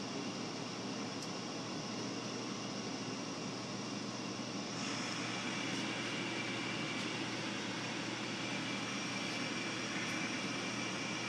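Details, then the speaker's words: Frigidaire gas furnace with no-ignition fault, after a new part was wired in: high limit tripped at 150°, and the draft inducer comes back on after a 20° drop with a steady rushing whir that steps up slightly, then holds even; normal inducer operation. "so the limit is tripped as far as the high limit at 150 which is good so I drop 20° and inducer will come back on and go through its"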